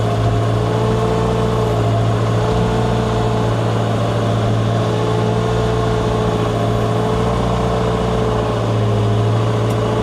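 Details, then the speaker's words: Wheel loader after repair, hydraulic pumps had stopped turning; new chain fitted, low revs: steady low diesel drone, even hum, no chain slap or rattle; much quieter than old chain, normal running. "Nyt on kyllä paljon hiljaisempi tuo ketju. Nyt kun on uusi ketju, niin ihan niin kuin eri koneus tällä hetkellä."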